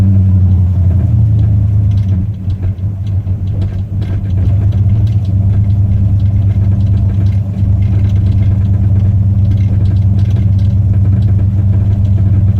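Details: 1968 Cadillac hearse V8 idling: light, fairly regular tapping about three per second over the rumble, newly started; owner unsure if engine, steering or engine-mount related.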